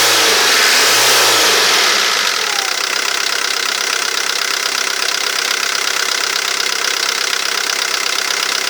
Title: Vw Golf III 1.9TD (AAZ)knocking/ticking noise